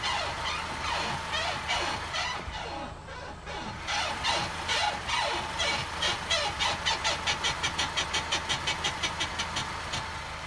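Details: 2007 Honda Accord: rhythmic squeaky scraping pulses quickening to about three a second over low engine background; squeaking/grinding noise, source unknown.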